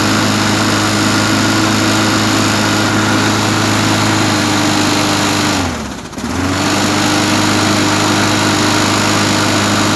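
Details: Briggs & Stratton 3.5 hp mower engine after carburetor cleaning and refitting a missing spacer and O-ring (suspected air leak). Runs fast and even, one brief sag around six seconds, then steady hum; normal running.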